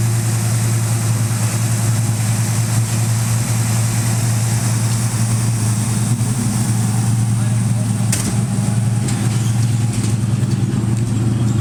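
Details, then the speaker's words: Ford Mustang V8 with open headers, just revived after being unseized: loud, deep, steady burble firing evenly with no misses or tapping; normal idle. "dve sounds so good yeah it's ridiculous those headers do a good job of bringing this sound"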